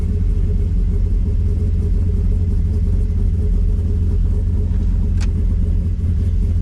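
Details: 1984 Chevrolet Squarebody truck after a cam swap, first start after replacing the leaking brake booster: deep, steady V8 rumble with an even beat and no hiss or stumble. It idles cleanly with no vacuum leak, and the brakes now work properly.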